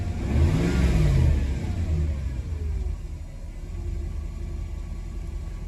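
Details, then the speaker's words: Mercedes W124 E420, M119 4.2 V8, revs up, then sags and hunts with a shaky low rumble, shaking moments before. Owner is unsure what's going on. Rough running, surging. "oh it's starting something it was just shaking there a second ago"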